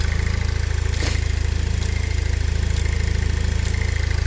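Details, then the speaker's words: Pontiac Solstice GXP first started after sitting for years: smooth, even warm idle with steady low beat, no knocks or stumbles, belts turning, no leaks; normal warm idle apart from the usual GM clicking. "Um belts turning, everything is running right."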